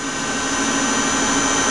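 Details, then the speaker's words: Tsugami PL3 CNC gang tool lathe, Fanuc control, 5 HP spindle, 5,000 rpm max, cutting dry without coolant, G71 rough turning with WNMG 432 roughing tool. Steady even hum with constant whine, no knocks or grinding; running normally. "And now we're doing a G71 rough turning cycle from a job I just recently ran on here. So you're using a WNMG 432 roughing tool,"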